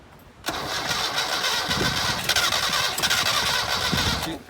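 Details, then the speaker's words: 1978 Datsun 1500 Ute GN620 first start attempt after 20 years parked in a shed, accelerator floored: starter churns about four seconds with scattered weak firing pulses that never catch; cranking with intermittent firing, petrol to be added. "She wants the fire. Put some petrol in."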